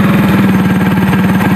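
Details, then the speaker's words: Honda C70 motorcycle, long unused, battery draining, traced to a weak ground; after fixing the ground it starts at once on the electric starter: steady single-cylinder putter, about twelve even beats a second, no misses; normal idle. "starter langsung nyala saya ya"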